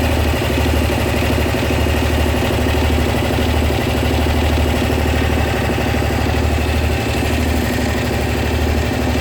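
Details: Honda SH 300i scooter with quick, steady light ticking over an even idle throughout; mechanics say it is nothing, but the owner believes something is wrong, and the cause is not identified.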